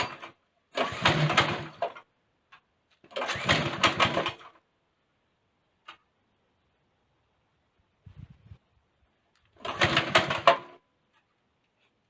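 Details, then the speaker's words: Go-kart small engine after governor bypass with manually returned throttle cable: rough, rapid firing in short rev bursts with quiet gaps, pulling up strongly; runs fine at higher revs. "now that sounds promising and i did want to go for a ride"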